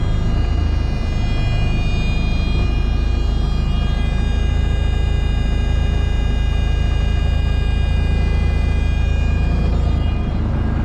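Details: Old cabover truck diesel started in neutral after one throttle stab: deep steady even rumble holding one pitch, no misses or knocks — idles smoothly, sounds healthy.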